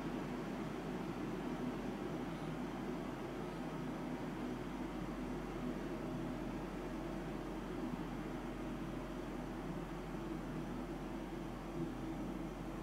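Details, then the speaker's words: Mitsubishi DXK13YXP-W1 12,060 BTU inverter air conditioner indoor unit with the fan switched to low speed: a soft, steady airy hiss that is barely audible and quieter than the loud high setting. "ตัวเครื่องเบาลงเบาลงก็ได้ยินแค่นิดเดียวครับ"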